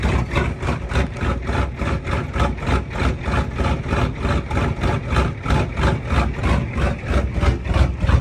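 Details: Old IDI diesel truck with aftermarket upgrades, first start in nearly a year after winter storage, glow plugs at full heat: steady, even diesel clatter at about three beats a second, strong regular idle, no misses; healthy.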